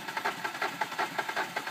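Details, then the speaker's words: 2005 Hyundai Sonata 2.4 L DOHC after a timing belt replacement with some bent exhaust valves: starter cranks evenly, about five beats a second, but the engine won't fire; hard starting, won't hold low idle. "so you can see here it will not start okay now if we bump it a few times trying to some reason let it get to a perfect chance to try to start it it will sometimes start"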